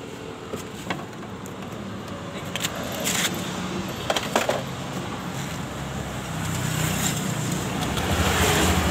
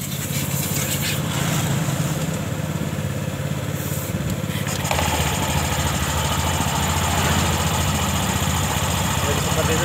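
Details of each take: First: 2021 Honda Scoopy idling with rough noise from the CVT case: uneven rattle about four beats a second coming from the variator rollers, while the clutch is not making noise; variator and rollers to be replaced. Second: 2021 Honda Scoopy after replacing the CVT clutch bell and rollers for a rough CVT noise: engine cranks, catches and settles into a steady even idle with no rattle or slipping noise; normal idle.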